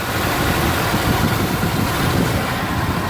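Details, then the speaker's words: 1988-1999 GM/Chevy truck, 350 5.7 L V8, idling with A/C on, new compressor, freshly charged: staple jumper pulled from the switch connector, the clutch disengages, leaving a steady even idle with no compressor drag, normal. "Now when I take this staple off, you'll notice that sound different. The the clutch disengages."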